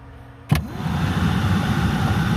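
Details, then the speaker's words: 2000 Chevy Tracker HVAC blower motor just replaced and bolted in: blower spins up after a thump into a strong, steady, even hum with no squeal or ticking; fan running healthy. "That's the sound of the fan. Sounding pretty strong. So, I think we're good to go on that fan."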